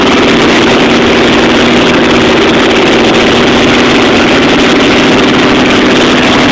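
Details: T-bucket with a Chevy 350 V8, built by a school group, first start-up after rebuild: loud, steady, even idle with a deep rumble and no knocks, misses or rattles; the engine runs clean and healthy.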